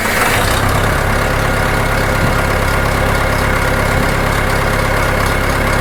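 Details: John Deere 400 tractor freshly rebuilt engine, after head bolt retorque, valve lash adjustment and new oil pressure sender plug; oil pressure reads good: catches quickly, steady regular idle about two to three beats a second, no knock; normal start and idle.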